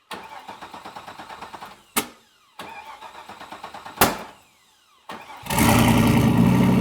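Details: Turbo LS1 Z28 Camaro with a stock cam, in January. After a couple of cranks it fires into a loud, choppy, loping idle programmed into the ECU tune ("Ghost Cam") to mimic a big cam; this is intentional, not a fault.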